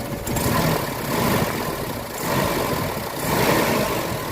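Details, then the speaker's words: Mitsubishi Adventure petrol engine before XADO engine treatment, owner complaint of throttle delay and low power; idle surges and sags about once a second instead of holding steady, shaky rough idle, suspected slight compression leak. "nangangatal yung andar ng makina."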